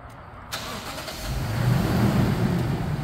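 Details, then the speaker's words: 2013 Toyota Land Cruiser 200 Series, 228k miles, started with the factory remote start (lock pressed three times, held on third): starter catches quickly and settles into a smooth even rumble; clean healthy start. "we're going to show off the factory remote start we're going to hit lock three times and on the third time we're going to hold it until we get feedback"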